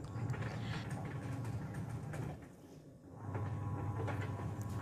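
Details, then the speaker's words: Sharp single-tub washing machine running; gritty scraping rub on each pulsator swing over motor hum, caused by a coin or bolt-like hard object trapped at the edge of the pulsator. "मेरे पति के अनुसार पल्सेटर के किनारे पर यहाँ से आने"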